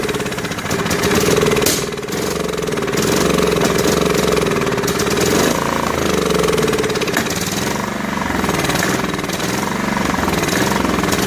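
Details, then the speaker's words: Snapper SR1433 rear-engine rider, sat 8 years, on starter spray, gravity-feed fuel: single cylinder chugs unevenly, surging and sagging instead of holding speed; carburetor starved of fuel, bowl later found with smelly green old fuel. "Trying to figure out why it's not getting fuel in the carburetor."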